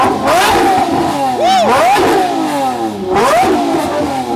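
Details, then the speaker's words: Lamborghini LP640 V12 revved at a rev battle: crisp, smooth sweeps up and clean drops back on each blip, no knocks or misses; healthy engine, normal revving. "alright that is healthy 640"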